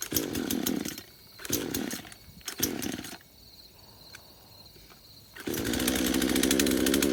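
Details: Craftsman chainsaw first start after about five years sitting in a shed: three short bursts fire and fade, then settles into a steady buzz; struggling to pick up fuel, only runs with the choke on.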